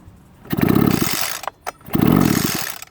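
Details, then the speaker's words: Two-stroke leaf blower, hard starting getting worse until it wouldn't run; spark and compression good: two quick rattling pull-start bursts that spin the engine but never catch; fuel issue, traced to loose carburettor intake screws. "hurts back compression ignition fuel there's a issue with fuel well let's get in there and have a look"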